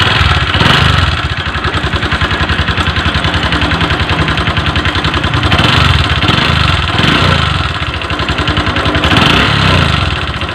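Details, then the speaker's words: Honda Verza single-cylinder at idle: fast, loud ticking chatter over a rough idle, suggesting valve train or cam chain noise; engine was smooth before a long trip and became noisy afterward; cause unconfirmed. "awalnya motor ini halus teman-teman saat dibawa mudik halus setelah dibawa pulang ke sini itu suaranya jadi berisik seperti ini teman-teman"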